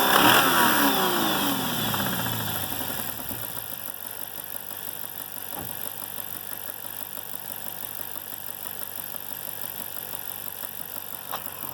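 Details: 6.1 Hemi V8 running with a steady knock about two beats a second; the cause is unknown, possibly spark knock, lifter, wrist pin or rod knock.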